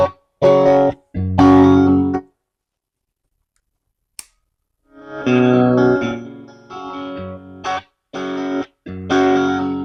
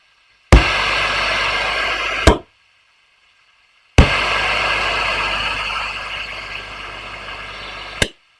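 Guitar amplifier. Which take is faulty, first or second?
first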